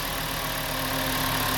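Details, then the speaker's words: 2007 VW Jetta 2.5 after fixing P2279 rough idle and surge with random misfires: smooth, even idle with a steady low drone, no surge or hunting; normal idle. "it's not idle surgery anymore that idle sounds just nice there we go problem solved"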